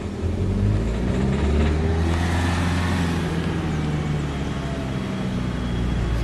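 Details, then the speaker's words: Renault Grand Scenic 3, 1.5 dCi 636 diesel, held around 1000 to 2500 rpm: hard detonation-like rattling knock over the engine as revs rise and fall, at low and high rpm; faulty injectors, fixed by replacement. "При меньших оборотах тоже трещит. Включаю еще тут. Как детонация. Звук очень похож на звук детонации."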